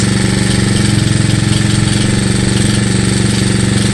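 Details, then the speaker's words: 2018 Tao Racer with J&J 100cc big bore kit, A-9 cam and 64mm rocker arms, just rebuilt and started after several kicks, idling before warm-up: fast, even idle about four beats a second with faint light rattle; owner says it needs a shop tune-up. "I can hear a little rattle, so I do need a tune-up on it."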